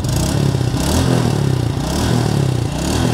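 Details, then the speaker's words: Yamaha Sight single after flood submersion, engine opened and cleaned and gear oil replaced: mic close, steady smooth idle with no rattles or ticking over the exhaust pulse; engine sounds healthy, break-in still advised. "Ayan o. Tahimik na yung makina. Swabe na."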